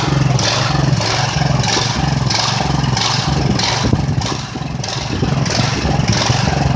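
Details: Ridgid generator, Honda GX390, first run in months after repairs, not fully fixed: steady thumping with revs swelling and sagging in waves under a second apart instead of holding an even speed. Engine hunting, cause unconfirmed.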